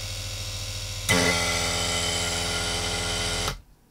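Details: Aircon vacuum pump after repair with new precision-machined alignment pins and reassembly; steady, even buzzing drone about two seconds, no knocking or scraping, stops cleanly; runs normally.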